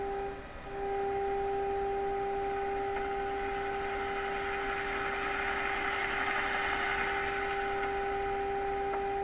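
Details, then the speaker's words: Stromberg Carlson 561 tube radio, during replacement of last wax capacitors, 400 Hz signal-generator tone at stronger signal: steady tone with strong overtone and hard, rough edge, not pure; audio distortion. "we're a stronger signal sounds a little hard edged to me sound doesn't sound pure"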